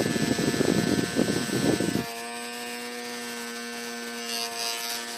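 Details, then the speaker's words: Hand fan refitted with an old Nikko RC car DC motor on a 9V battery, fan piece superglued after the motor spun inside it: strong, steady high hum, even pitch, no rattle or wobble; normal running. "I had to super glue the fan piece on because the motor was overpowering the fan it was it was spinning without the fan spinning it was really powerful so this is what it sounds like now"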